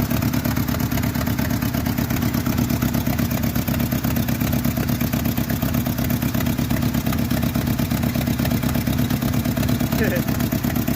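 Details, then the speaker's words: 1986 Jeep Comanche 2.5L (4-speed, 4WD) during valve cover gasket work: a fast, uneven clatter about three beats a second over a lumpy idle, running worse than usual; the cause is not found. "it sounds like it's running even worse than it normally does huh"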